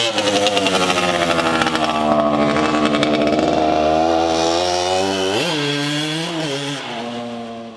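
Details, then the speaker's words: 1981 Suzuki RM125X two-stroke, a garage find, on its first run through the gears. A crisp rising buzz climbs cleanly and eases off with no misfire or bogging; it carbureted clean, got on the pipe and ran strong. "It actually carbureted clean too. Got on the pipe, ran strong. I was surprised."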